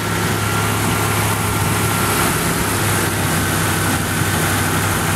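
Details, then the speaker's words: 1986 Ford LTD Crown Victoria LX with 5.0 Explorer engine, GT40P heads, A9P computer, during KOER cylinder balance test killing injectors in turn: V8 idle turns uneven and lumpy with one cylinder dead, a misfire. "can hear the change in the exhaust note and how the engine's running here how here how how the exhaust note changed that's basically what a misfire sounds like one cylinder is completely complely dead"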